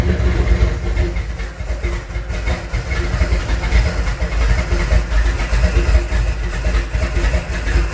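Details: Junkyard 351W turbo V8 in a 1967 Mustang at first start, new headers and wastegate, exhaust out by the fender; deep lumpy idle surging and stumbling with throttle blips; runs, definitely needs a tune, cause not pinned down.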